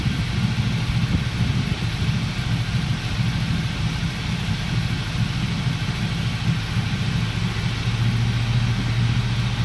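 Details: 400SS at idle during an induced misfire test: rough, uneven low-pitched lumpy beat with irregular stumbles in the exhaust pulses; cylinder misfire.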